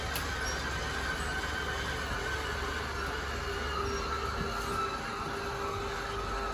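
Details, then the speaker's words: 2013 Crossroads Sunset 29SS travel trailer: steady electric motor whine with low hum as the slide-out room extends via its button; motors wind out and cut off when fully extended, normal operation. "You heard those motors wind out and cut out. That means that it is fully extended."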